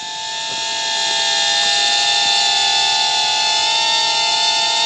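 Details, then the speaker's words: Temu XD1 Pro mini camera drone in flight: steady high whistle over propeller hiss, unexplained; owner wonders if it is a low-battery alert — siren-like warning tone in flight. "It made a noise. Is that the battery going low, or?"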